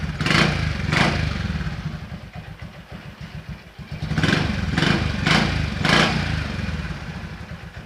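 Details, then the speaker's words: Yamaha X-Max 300 scooter after home repair of its stumbling idle, holding about two months: steady low putter at idle, quick throttle blips rising and falling cleanly; normal idle and revving. "ใครไม่อยากซื้อก็ลองทำดูครับเบิ้ลได้ปกติเดินเบาปกติ"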